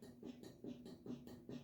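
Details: Electrathon wheel on an axle with 1/2in aluminum spacers and castle nut, worked by hand: soft, regular knocks a bit over twice a second, free play clunking in a wheel bearing adjusted too loose, before preload is set to zero play.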